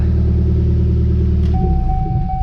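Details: Pontiac Solstice after ignition coil and connector work, where the fault may have been dirt in a connector: engine catches and settles into a steady even low idle with no stumble or miss; normal idle.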